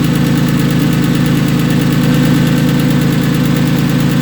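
A fast, even ticking of about three per second rides steadily over the idling flat-six; the cause is unknown.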